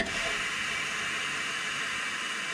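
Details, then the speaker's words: Air brake booster in 34°C heat, brake held: steady airy hiss, no pulsing, air escaping out the little exhaust vent on top; mechanic suspects cracked rubber diaphragm or seal, new one needed. "you can hear it leaking air there just at the moment yeah so it's leaking out the little exhaust vent on the top"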